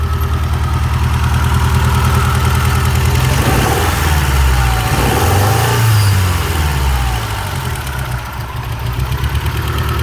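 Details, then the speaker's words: Shelby GLHS parked 20 years, after swapping in a parts-bin injector: a deep, lumpy idle with an uneven loping beat through a throttle blip, still not on all four. Owner suspects the connection or the injector. Misfire at idle. "all right please baby let's run on all four nope"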